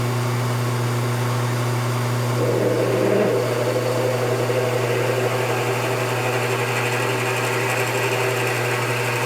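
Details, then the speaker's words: Lathe drilling a brass Slash RC differential cup with what is probably an S-size drill, undersized for a needle bearing: steady motor hum, then about a second of rough squeaky squeal as the bit cuts brass. "If you could hear the kind of squeaky noise, that was the brass getting cut."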